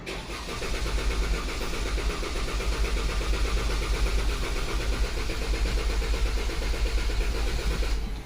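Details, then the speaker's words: 2014 Dodge Durango 3.6L with misfire complaint and code P0304 (cylinder 4): clear-flood crank without firing, lumpy uneven cranking beat; low compression cylinder suspected, not confirmed, lab scope relative compression test follows. "I think we might have a low cylinder um let's set let's get a lab scope out and we'll do a relative on this"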